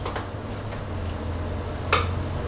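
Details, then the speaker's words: 2016 BMW R1200RS at 60,000-mile service, steering checked lock to lock: faint uneven clicks from the steering damper, its far-end bolt loosened; steering itself smooth. "What's that noise though? Some noise here. Oh, I see what it is. It's the steering damper."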